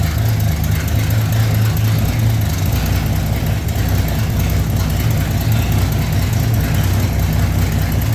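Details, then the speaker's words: 1965 Mercury Comet Caliente V8 first running after 10 years sitting, with a carburetor that had been leaking: deep, steady low rumble with no stumble or lope after the idle was bumped from 6 to 12. Normal idle. "At 6, I bumped up to 12, you can hear it smooth right out. Carburetor's not leaking right now."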